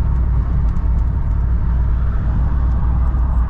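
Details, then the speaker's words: Steady, even low road rumble and hum at cruising speed from used 35x12.5R20 tires on a leveled Ram 1500 that replaced 275/60R20 tires; loud but normal road noise for the oversized tread. "real quick guys just to end the video I'm gonna show you the tire noise I don't know if you can hear it or not pretty good winding that's all sounds pretty good in my opinion I like it"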